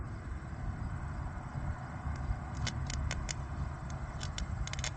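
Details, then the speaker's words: Three bonded pipelines with single solid-state decoupler AC mitigation, bond reconnected: sharp irregular crackling snaps over steady low hum; AC arcing between pipes. "Well, but you can hear the spark. Of the 2."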